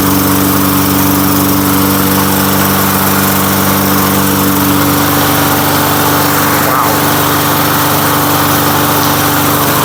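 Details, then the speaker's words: Lawn-Boy Silver Series 10302 two-stroke mower, sat 15 years, after fresh gas, first start: fires and holds a steady even buzz, no misfires or surging; running cleanly. "no freaking way I I can't believe that I can't believe this thing just started up and runs like that"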